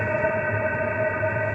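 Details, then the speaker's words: Diesel air heater exhaust without optional muffler, which would lower the sound: steady hollow rushing roar with fixed high tone like a small jet, no misses or surges; running normally. "it's not required you don't need the muffler it's just changes the sound a little bit lower so that's the sound you're gonna hear"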